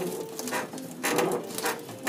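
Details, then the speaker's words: 1977 Pontiac Trans Am (Y82) before restoration: body rocked by hand gives irregular dry creaks and ticks in bursts; rocker-to-floor seam left unwelded by a previous shop, whole seam from the front up not attached. "I mean, that whole thing, that whole seam front all the way up is not attached. And you can hear that creaking."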